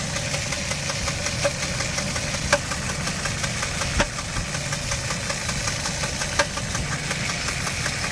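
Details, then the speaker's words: 2004 Jeep Liberty Renegade, very high km with no oil change in over 100,000 km, started after a -30° cold start scare: irregular sharp ticks and knocks at idle from the front timing area. Suspected timing fault, possibly a collapsed lifter or dropped rocker arm. "i'm pretty sure that's gonna be a timing"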